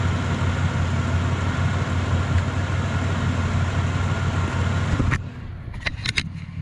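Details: Impala idling after a shop replaced the holed, broken exhaust pipe, mic close to the tailpipe: deep steady burble with no ticks or leaks, then engine shut off; much quieter than before; normal idle after repair.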